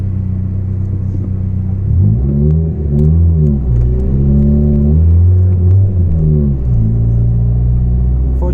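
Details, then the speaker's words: Volvo 440 whose exhaust just broke apart while driving: a deep, loud rumbling roar from the exhaust leak that swells when accelerating away from a traffic light. "now when I accelerate it has a really epic beefy sound that I wouldn't want it to have all day but for 20 minutes or so it's a lot of fun"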